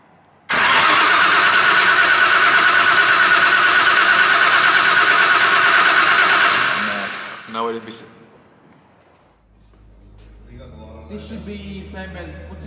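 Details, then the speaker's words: Newly built RB engine in a Nissan S15 drift car, first cranking before start-up. About six seconds of even cranking at roughly three beats a second, sounding like it has good, even compression. "Coming sounds like she's got some compression, Abdul."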